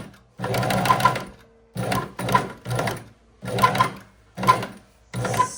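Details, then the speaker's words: EuroPro X Shark sewing machine after cleaning and oiling, running with the presser foot: short sewing bursts with a thin squeak over the needle clatter, seemingly from somewhere up top still dry; squeaking sewing machine. "Somebody's squeaking. Somebody is squeaking. I don't like that sound so much."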